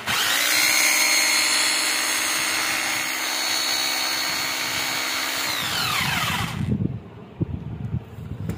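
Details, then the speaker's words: 26 mm hammer drill after broken-head replacement, full service and armature refit: smooth, steady high motor whine that winds down evenly with no crunching. The earlier noise, like something breaking inside, is gone. "Finally friend आपने देख लिया कि इसकी आवाज जो है वह बिल्कुल खत्म हो चुकी है तो पहले इसके अंदर ऐसी आवाज आ रही थी जैसे कोई चीज इसके अंदर टूट रही हो"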